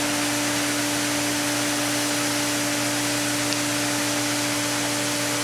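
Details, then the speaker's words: Diatomaceous earth pool filter at startup on filtration, pump running: a steady loud hiss of trapped air rushing out the relief valve over the pump hum as the gauge climbs toward about 20; normal air purge. "Now it's got to refill the filter once again. So we watch the gauge come up. and it's starting to. You can hear the air rushing and the pressure increases."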